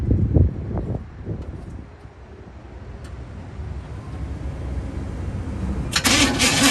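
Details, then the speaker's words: 1964 Chevy C10 with HEI ignition, sat unused for years: starter drags engine over slowly and unevenly in lazy bursts, never catching; dead battery suspected. "too good it did turn over but sounds like we got a dead battery"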